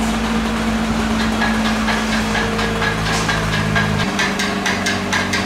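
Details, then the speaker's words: R35 Nissan GT-R idling in Drive, before repair: dry metallic rattle about two ticks a second over the engine from a badly worn flywheel housing; propeller shaft not turning properly, vibration reaching the catalyst and muffler. "あドライブ入れてみたいこの音ですねこのガラガラガラガラどうぞんこれでちょっと車上げて下から行ったほうがいいかもしれません"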